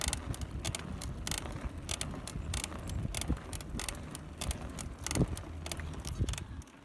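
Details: Cannondale bike with FSI BB30 bottom bracket: sharp dry creaks and clicks repeat irregularly with each pedal stroke under light rumble, from the crank area; cause suspected, not confirmed.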